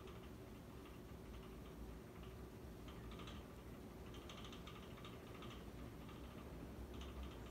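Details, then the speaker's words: Dynasty 52-inch hugger ceiling fan from January 1988, on high speed: soft steady hum with light, irregular ticking bursts. The owner suspects a rattle in the housing where the two hex bolts lock the fan motor to the mounting bracket, which is not confirmed. "And you know, actually, what I think it is there's those two like hexagon type bolts that lock the fan motor to the mounting bracket. I think that it just might be rattling against that."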